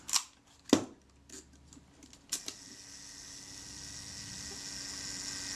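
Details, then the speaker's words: Kodak Retina IIIc shutter after service and reassembly, self-timer tested: a couple of sharp shutter clicks, then a faint, even whirr running on steadily; self-timer runs down smoothly, normal. "yeah that's running down smoothly that sounds good to me"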